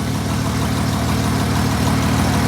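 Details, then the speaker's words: Replacement engine for SLK320 with 231,000 miles idling after smoke cleared: deep, even idle with smooth steady beat, no stumbles or shake; battery charged so alternator works, owner doesn't think motor is blown. "And the battery did charge up, so we at least know the alternator works. So I don't think the motor's blown, because it seems pretty good."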